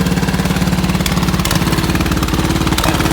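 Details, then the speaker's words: Owner-guessed 1969 Economy Power King tractor, 14 hp, single-cylinder engine, started fairly cold (choke sometimes needed), at the lowest possible idle: slow, even thump with no misses or knocks, running very smoothly, normal idle. "runs very, very smooth. pretty much as low as idle as you can get it."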